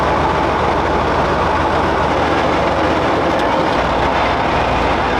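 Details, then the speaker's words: StuG III restoration, drivetrain run without tracks, unloaded, after adjusting right-hand brake to match left: steady heavy mechanical rumble with even running-gear clatter, no grinding or knocking, brakes operating; gear rattle said to go away under load, thicker gear oil planned. "better. Sounds great, man. It sounds good. The brakes are operating."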